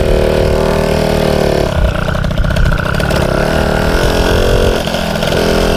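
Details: MBK 51 two-stroke moped, after opening the mixture screw slightly because it may have been running too lean: buzzy steady run, picking up cleanly on small throttle blips without stumbling; running right.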